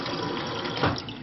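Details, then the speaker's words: GE refrigerator GSS23WGTA water dispenser after replacing WR17X20860 water manifold assembly (fix for slow/no flow, plunger not fully actuating); continuous rushing pour with brief gurgle of purging air midway, then even flow; normal water flow. "But it looks like it's working great."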